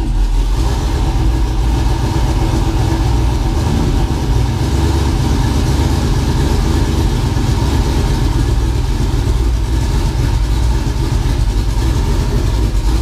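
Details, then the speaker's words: Budget twin-turbo LS V8 after replacing a cheap 2.5 bar MAP sensor with a genuine ACDelco unit: deep loud idle stays steady and even with no hunting or stumbles; running much better, healthy idle. "whoops it's running way better though I've got a little too aggressive with it"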